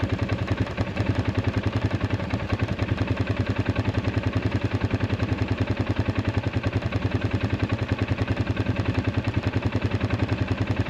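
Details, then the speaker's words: Arctic Cat 500 ATV near 0–9°F, earlier only clicking with no crank on a weak battery at 34% health: now an even, steady putter of about 3.5 beats a second with no knocks or misses. Normal idle. "you hear the ATV running"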